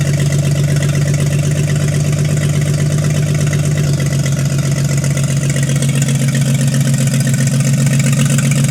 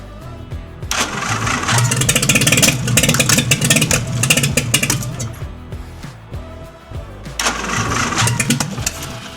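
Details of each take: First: 1952 International L130 stock engine, first run after years sitting, points sanded, stuck throttle fixed, no muffler: loud, deep, steady idle with even low thrum and rapid regular pulse, idling on its own. Normal idle; health unchecked, compression test pending. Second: 1952 International L130 pickup, stock engine after years sitting, no exhaust, started on starter fluid: catches and roars at high revs, dies after a few seconds and refires; throttle stuck wide open.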